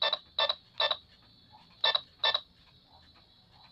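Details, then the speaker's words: Infrared amplifier remote tested with an AM battery transistor radio as tester: sharp buzzy ticks come in short bursts with each button press, meaning the remote transmits its infrared signal normally. "check all the buttons just do like this as long you can hear the ticking sound it means that it transmits signal going to your unit"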